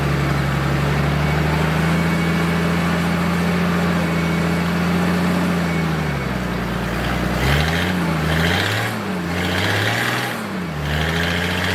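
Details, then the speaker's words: Military surplus forklift with carburetor, running after the fuel pump was bypassed and the fuel line run direct to the carburetor; steady even drone, then revs swing up and down cleanly under throttle; it runs and drives normally. "all righty it's a good day it moves well it was a successful day I got it out ran it it drives"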